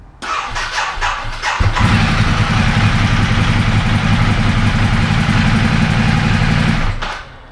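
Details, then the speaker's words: 2010 Ducati Multistrada 1200 high-compression L-twin, original starter and battery cables: starter turns over slowly and heavily for about a second and a half before it catches and idles; slow cranking blamed on undersized cables. "so if you're used to like a suzuki or honda you know those things start right up but ducatis pretty much all start that terribly it sounds like the battery is really low or something in the electrical system's not quite right that's not giving that starter motor the full juice to get this high compression l-twin engine"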